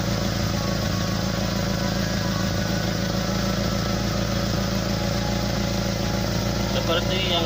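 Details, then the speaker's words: SS pickup with a snoring, noisy sound: at idle a rough, snoring rasp puffs like air escaping, coming from the wrong place; attributed to a leak in the exhaust pipe. "Jadi suaranya itu tidak lembut dan aneh ya, ada ngegorok-ngegoroknya gitu, seperti ada angin keluar dari knalpot."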